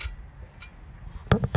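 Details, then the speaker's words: 2008 Ford F-150 sway bar end link with its bushing fallen out: sharp metal-on-metal clinks as the link is rocked, heard as rattling over bumps while driving. "you're hearing this noise as you drive around you're hitting bumps just driving down the street you'll probably hear it rattling"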